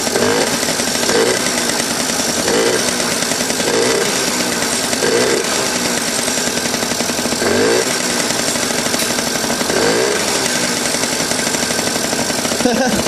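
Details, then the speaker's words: 1981 Yamaha Champ 50cc two-stroke scooter after new PW50 top end rebuild, first start; raspy, busy burble with uneven popping and loose beat, running rough and rich; owner suspects too much oil in the premix. "I think we got too much oil in it"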